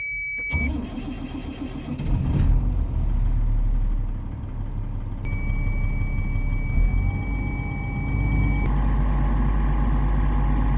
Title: 1999 Chevy C7500 (Hard Starting) Cold Start